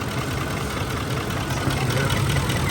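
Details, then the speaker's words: Ford F-150 5.4L V8 on a road test after replacing cylinder 8's ignition coil, which cured a misfire with power loss, heavy shaking and a raw fuel smell; after about 20 minutes of driving it runs very smooth and even. "Así quedó la Ford ya en la carretera se siente muy muy muy muy suavecito todo parejito sin ningún problema"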